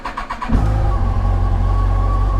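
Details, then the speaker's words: 2007 Yamaha FJR with replacement engine after original broke a cylinder-two valve, battery 12.4 V, charging 13.2 V: half-second rapid starter cranking, clean catch into steady even idle, no knocks; normal start. "But I want to show you the bike before I take off. Run real good."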